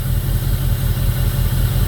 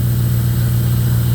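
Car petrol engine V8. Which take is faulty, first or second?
first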